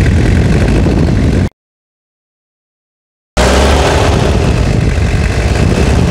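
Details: Toyota Hilux (1992–2001 generation) diesel after full restoration and engine rebuild: steady, even diesel clatter at idle, no knocks or misses; idling smoothly and healthy.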